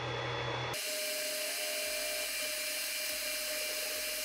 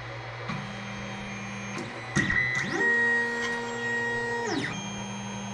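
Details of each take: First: Creality Ender 5 Plus 3D printer after upgrading to the v2.2.1 silent mainboard, axes moving during bed leveling: soft steady whir with a faint constant tone, very quiet stepper motion; power supply fans not yet replaced. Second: Creality Ender 5 Plus 3D printer auto-homing on its stock board, before the silent board v2.2.1 upgrade. Loud, harsh whining stepper tones that jump in pitch as each axis homes. Noisy stock stepper drivers.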